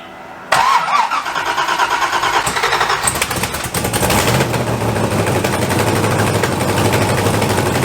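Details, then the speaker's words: First start of a home-built LSZ turbo setup with welded headers and no gasket on one manifold side: loud, raspy ticking chatter over idle. Exhaust is leaking at the ungasketed manifold flange. "should probably put a gasket on this side because that's [ __ ] obnoxious"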